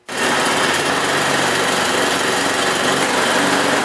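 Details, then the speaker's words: Used snowblower transmission test: engine started and held while the wheels spin on the ground, steady even small-engine buzz with no slipping, grinding or bogging; transmission, belts and drive in good condition. "When you see the wheels spin on the ground when you're holding the snowblower as I did, that tells you that the transmission, the belts, and everything are in good condition."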